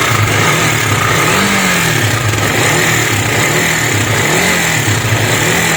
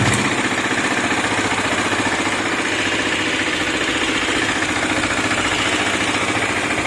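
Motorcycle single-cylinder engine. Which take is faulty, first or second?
first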